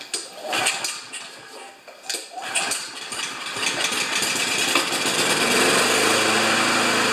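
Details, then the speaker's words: Riding mower after freeing a rusted blade adaptor, first test started on choke, expected flooded: uneven, sputtering catch for a few seconds, then it settles into a steady, even run; starting and running normally. "First initial test sounds good."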